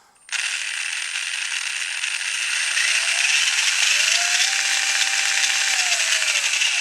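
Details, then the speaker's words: Brand-new Tamiya TBLM-02S 15.5-turn brushless motor with a TBLE-02S ESC in a Comical Frog WR-02CB, correct pinion fitted: steady high-pitched whir with gear hiss at higher RPM; it sounds smooth and normal there, unlike the odd noises at low speed. "I put it on and okay. On higher RPM it sounds good."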